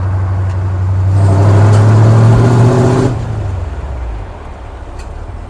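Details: 1964 Ford F100 with new headers and exhaust, 4-barrel carburetor, bed full of tires, pulling away from a stoplight: deep exhaust note climbing smoothly under load for three seconds then easing cleanly; normal strong acceleration.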